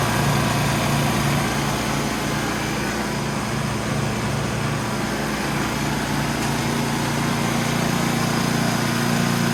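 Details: Ariens snowblower after fixing drive belt falling off and reinstalling chute cable: steady, even engine drone at constant speed with no knocks, misses or belt squeal; runs smoothly and sounds healthy.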